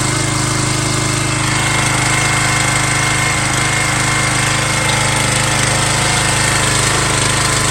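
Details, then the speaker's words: MTD Yard Bug riding mower left sitting for years at a boat storage yard, first start after a spark check and fresh gas: loud, steady single-cylinder chatter at an even, quick beat that holds without faltering; running fine. "wow I am blown away I wasn't expecting this thing to starts"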